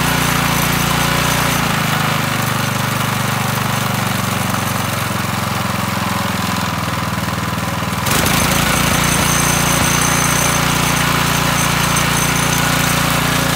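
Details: McLane 3.5 hp walk-behind edger with Briggs & Stratton engine, sat for years, after carburetor tune-up and oil change: single-cylinder engine running steady and even, picking up speed partway through, no misfire or surging; running healthy.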